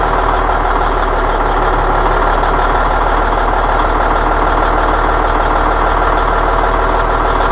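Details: AM General M923 military truck diesel idling after new air dryer cartridge and blow-down control valve; constant hiss as air system charges, long whistling dryer blowdown not clearly picked out.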